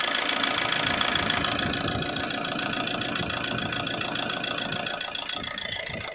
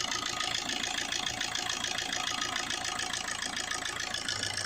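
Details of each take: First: 2007 Suzuki Swift diesel, 16 years old, long cold starting and misfire feel, at raised idle: even brisk diesel clatter; rail pressure sensor reads 1.6 V versus about 1 V normal, rail pressure high, faulty stuck rail pressure regulator valve (DRV). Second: 2007 Suzuki Swift diesel, idle at 850 rpm with rail pressure at 28,000: even diesel clatter at a steady idle with no hunting or missed beats. Normal idle.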